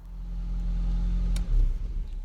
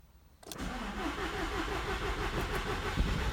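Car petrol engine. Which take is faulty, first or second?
first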